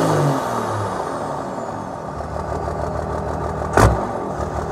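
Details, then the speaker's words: 12-valve Cummins diesel with injection timing advanced 4 degrees to 20, now revving cleaner and smoother: deep diesel clatter pulls up evenly with no popping or sputtering. Normal revving. "I mean it it revs really good now compared to what it was"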